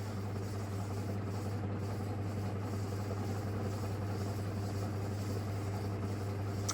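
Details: Antique Indola PVB 90cm ceiling fan on high speed via a controller, after partly fixing noise from vibrating metal: steady low hum with an uneven rumble underneath; still fairly noisy, cause not pinned down.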